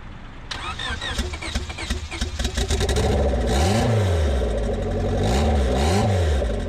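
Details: Honda Civic turbo build (cheap eBay turbo), first start after a year of building, with the oil line routed into a catch cup. Starter cranks a few seconds, the engine catches, takes two clean throttle blips and settles to an even idle. A big oil leak shows at the feed line.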